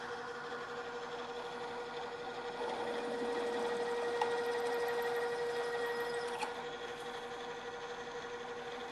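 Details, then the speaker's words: Drill press stepping up to a half-inch drill in metal, rerun at lower speed after chatter from running too fast: steady, even cutting hum with one clean tone, no chatter; drilling smoothly at correct speed. "the drill is cutting much more smoothly now we continue as before drilling for a while and backing the drill out and clearing the chips"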